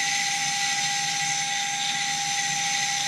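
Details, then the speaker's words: Mini quad FPV freestyle drone, motor that twitched and wouldn't spin, after fixing a bad connection on an extended wire: smooth steady high-pitched whir; motors spinning normally. "okay I'm gonna get my transmitter alright fingers crossed they're all running like that"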